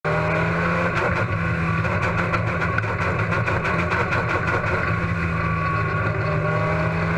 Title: Braden Ray Huntsville Speedway Misfire